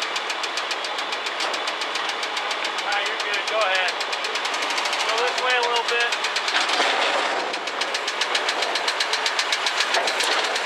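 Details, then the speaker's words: Car being loaded on a road trip, engine running: steady rapid ticking knock, roughly three or four a second, over a rough-running engine; knock present, cause unknown. "Yeah, it doesn't sound good."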